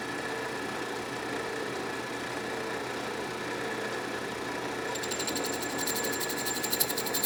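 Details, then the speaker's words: Restored 12-inch Atlas Craftsman metal lathe, first test cut in scrap brass with previous owner's oddly ground cutter, through old threads (interrupted cut), lathe not yet leveled or bolted down: steady motor hum with fine high rattle; expected chatter from interrupted cut. "that worked really well obviously I'm cutting through the old threads so it's an interrupted cut hence a little bit of chatter but that's to be expected"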